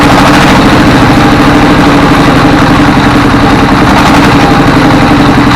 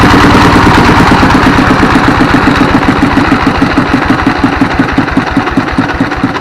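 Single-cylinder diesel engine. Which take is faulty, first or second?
first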